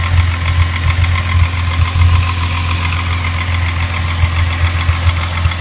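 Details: Rebuilt Mk3 VW VR6 idling with a steady low rumble and an uneven tapping knock; others suggest the timing chain or its tensioner, not confirmed.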